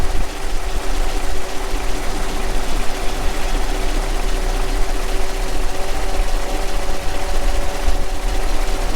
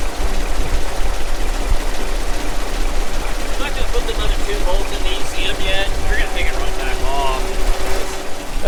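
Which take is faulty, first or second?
first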